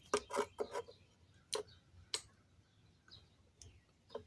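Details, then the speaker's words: 1986 BMW R80 rally-style custom bike, rebuilt after a wreck, with the battery just connected: a few sharp, dry clicks from the rear as the key goes on and the power comes up; a normal relay click. "I heard something click back here. Something just came on. Okay, power is on."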